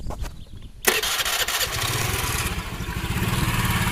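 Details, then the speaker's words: Honda Vario scooter after a full engine teardown and internal cleaning: the starter whirs, then the engine catches and settles into a quick, even, smooth idle with no knocks or rattles, a normal start and idle. "untuk suaranya halus untuk Vario ini suaranya itu sudah halus"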